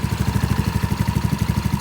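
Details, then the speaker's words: 2017 Ace 150 idling after an oil change while checked for oil leaks: even, steady putt-putt at about fourteen pulses a second, no misses or knocks; normal idle. "Alright, just let it idle for a minute. Check around there for some oil leaks."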